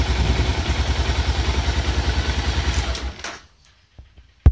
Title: BMW F650 stalling on throttle power